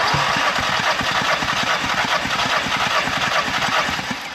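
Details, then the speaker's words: Audi TT with a misfire during a compression test, cranking on cylinder 1: even steady cranking beat, reading about 175 psi, which is good; healthy cranking compression. "So, on cylinder one, we're about 175, which is good."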